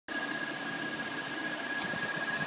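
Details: 2013 Dodge Challenger SXT, engine running: a thin steady high whistle from a loose water pump seal, which the dealer diagnosed. After the pump was replaced the noise was gone.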